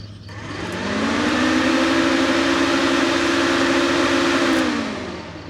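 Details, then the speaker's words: 1985 Merkur XR4Ti radiator cooling fan powered directly from 12V battery, tested both polarities: spins up to steady even whirring hum and runs smoothly reversed; fan motor functional, fault likely in wiring. "there it is it works both directions so the and is functional I've never heard it turn on before"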